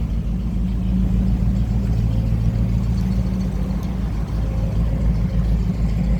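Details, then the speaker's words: 307 V8 that had been seized, freed by spraying WD40 into the cylinders, with an inline fuel filter fitted: deep, steady rumble at an even idle with no knocking or stumbling; engine running normally. "yeah we on he happy as hell I'm just letting him run"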